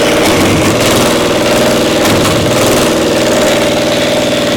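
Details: Caterpillar Diesel 70 pony motor: loud, uneven running with beat dropping out, one cylinder hitting intermittently despite a nice blue spark; spark plug suspected, misfire from bad magneto cap.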